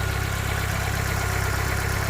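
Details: Fiat 500 starting after cleaning the starter solenoid wire connections: steady, even low idle with a smooth regular beat and no misses or knocks; normal idle.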